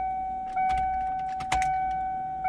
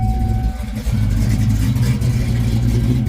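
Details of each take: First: 1995 Mustang Cobra SN95 with 331 stroker, after sitting, fuel pump reinstalled in tank: steady high-pitched hum from the rear rising in short steps with each key cycle; fuel pump priming normally. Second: 1995 Mustang Cobra, 331 stroker, sat for a while, possibly on a Fox Body computer, with good oil pressure and the battery charging: deep, choppy lopey idle, believed from a custom Comp cam. Idle screw may need adjusting.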